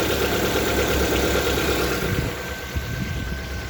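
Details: Lada Vesta engine at idle with a faint, fairly regular knock about three times a second; internal engine knock, cause unclear.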